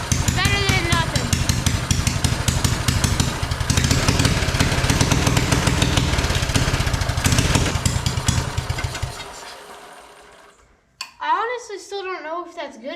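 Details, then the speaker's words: Free mini bike small engine at fast idle: loud, uneven popping with a rough irregular beat, then shut-off and chatter; smoke coming from the carburetor and the owner suspects it is running too rich. "enough I still feel like it's running too rich and why is there smoke coming out of oh is there supposed to be smoke coming out of the carburetor"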